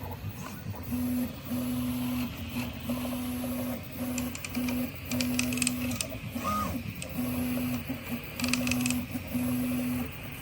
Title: Prusa i3MK3S+ Creaking Sound on right side of horizontal axis only.